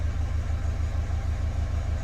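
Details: Renault Kangoo K9 diesel that flagged the glow-plug warning, lost power and would not rev, idling while both accelerator pedal load channels are graphed on a scanner: even, steady low thrum of about six pulses a second with no knocks, misses or hunting. Healthy.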